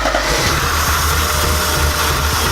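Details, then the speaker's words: Porsche 944 after engine swap, first runs after reassembly: uneven, lumpy idle with irregular pulses; spraying carb cleaner changes idle, intake likely not torqued down, so a vacuum leak at the intake gasket is suspected. "it's been running her up since we got everything back together and I couldn't figure it out so I decided to go with the old trick of finding vacuum leaks"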